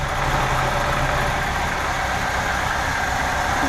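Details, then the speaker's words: 1990 VW Vanagon Weekender, 2.1 L water-cooled boxer, replacement or VW remanufactured engine, 143,884 miles, pre-purchase inspection; smooth constant idle hum, no ticking, knocking or surging: normal idle. "and so that's what it sounds like sounds normal"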